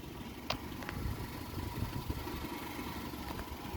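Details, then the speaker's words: 2010 Hyundai i10 1.2 petrol, timing chain engine, 69k miles, full service history: quiet even low hum at idle, no ticking or knocking; engine runs smoothly. "wing you hear the engine as well very sweet it is a timing chain engine like I've said before"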